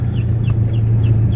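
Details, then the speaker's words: 1987 Chevy S10 project truck driving slowly: short high chirps about three times a second over low engine and road rumble. The speedometer chirps like this until about 20 mph. "But the chirping you hear is the speedometer. For some reason, it makes that noise till we hit about 20 miles an hour."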